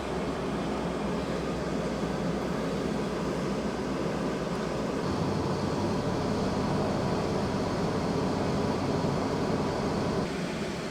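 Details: 1999 Chevy P30 Forest River Georgetown 303 RV dash AC after repair and evacuation, engine idling in driveway, 90°F cabin, vents reaching about 55–56°F: steady airy blower rush over low even compressor hum, no rattles or squeals; normal AC running.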